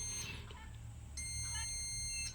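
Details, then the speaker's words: Bison LED par light whose fan only turns briefly on power-up: the multimeter in buzzer mode gives a steady high beep of about a second across the power-supply rectifier diodes in both directions; one or both diodes are suspected shorted. "এখানে দেখছেন beep হচ্ছে short এবং এদিক থেকেও দেখুন beep হচ্ছে short অর্থাৎ এই দুটি যে ডায়োড রয়েছে হতে পারে দুটি ডায়োডই শর্ট হয়ে গেছে বা দুটির মধ্যে একটি ডায়োড শর্ট হয়ে গেছে"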